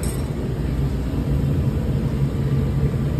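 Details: Pitco SG14 gas fryer that would not light because of a tripped high limit breaking 24 V to the ignition module, after fixing the high limit: steady, even low burner roar, no popping, flutter or misfire; firing normally.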